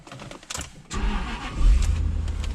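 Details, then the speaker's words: Engine started using only a TackLife T8 Pro jump pack at 98% charge: short starter whirr, then catches and settles into a steady low run; effortless, clean crank and start. "give it another crank effortless holy smokes effortlessly cranked"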